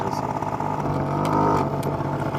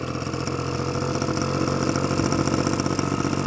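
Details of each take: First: Honda Spree two-stroke scooter, first run after clearing the oil-clogged exhaust: steady buzzing idle that stays slightly fast; carburetor still off, idle set a bit high, owner plans to turn idle screw down. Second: Honda Spree moped just running after clearing out the exhaust, idle screw turned down slightly as carburetor was still a little off: small two-stroke buzzing at a steady, even idle with no hunting or stalling; normal idle.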